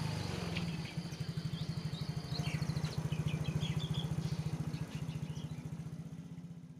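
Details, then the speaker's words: Yamaha Mio J fuel-injected scooter that had stalled and would not start despite normal battery and electrics, now restarted: single-cylinder engine idles with steady, even low thump, running normally with no problems. "Ya teman-teman disini sudah normal sudah dinyatakan masih hidup kembali dan normal tidak ada kendala"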